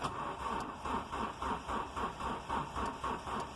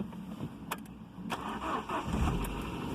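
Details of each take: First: Ford Ka hard to start when cold, unstarted for days at about 6–7°C, battery weak, heard with the door open: steady cranking for over four seconds, never fires; coolant temperature sensor suspected, later replaced. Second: Ford Ka, cold start at about 6–7 °C after sitting days, flat battery so on jump pack, after coolant temperature sensor replacement for hard cold starting: slow few cranks, then catches quickly, steady idle and smooth revs; starts fine.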